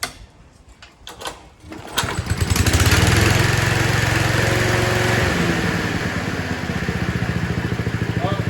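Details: Mower started on choke during an oil change and parts service: a few pulls, then it catches and runs a steady, even putter that dips slightly as the drive engages. Normal, healthy running.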